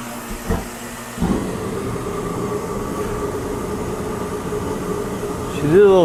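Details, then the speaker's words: Torpedo heater just repaired, test fire in garage: short stutter at light-off, then steady even roar of fan and flame with no sputter; firing and running healthy after fix. "thing but she did fire she is on sounds healthy see how long she lasts"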